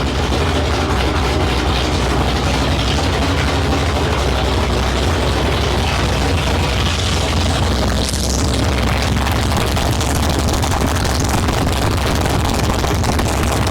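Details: 1972 Ford Maverick with a freshly rebuilt 317 V8 on its first start, no exhaust fitted, transmission fluid overfull. A loud, raw, steady, evenly lumpy open-pipe idle with no misses or knocks. Running normally.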